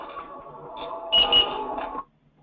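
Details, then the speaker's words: Blackline Loner M6 wearable lone-worker safety monitor, worn on the hip: a short electronic chime with two sharp high beeps. This is the optional lost-signal alarm warning the wearer that the device has lost its connection. "so that sound is your device if you want to configure it that way you can the talk to managers say yes I would like one lost signal alarms set up because I want it to notify me if I lose connection"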